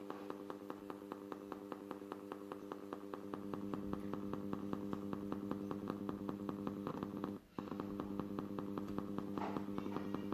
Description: I must say that it gives sound to the speaker but its popping like on the video..